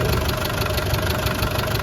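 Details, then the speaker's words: 1988 Land Rover 110 with 300Tdi diesel at idle, no smoke and no blow-by. A steady clatter with a light, regular tick from the back of the engine, apparently the upper end. Owner suspects cylinder 4 may need a valve adjustment. "There does seem to be a slight tick the back of the engine. Sounds like it's coming from the upper end, not the lower end."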